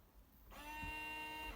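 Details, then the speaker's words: BMW E91 rear window wiper switched on: steady electric hum for about a second, no sweep or park clunk; motor runs but arm does not move, fault in the wiper assembly rather than the motor. "can you hear that hum that's the motor going there's something wrong with the wiper assembly"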